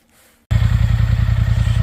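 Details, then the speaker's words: Polaris Sportsman 850/1000 High Lifter XP after engine rebuild, used almost two months, with 2-in lift and RVS tune: strong, even low thumping from start, steady beat, no knocks or rattles; running good. "So, after rebuild the engine, sounds like it's running good now, the engine back together"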